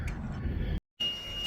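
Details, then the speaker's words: Sailboat bilge high-water alarm set off by a 3/4-inch garden hose filling the bilge faster than the small float pump can clear it: a sharp, steady high-pitched electronic tone that holds; the same alarm that could not be silenced at sea. "These lovely noises is what we were dealing with in the middle of the ocean coming down from Crescent City. And we couldn't turn it off."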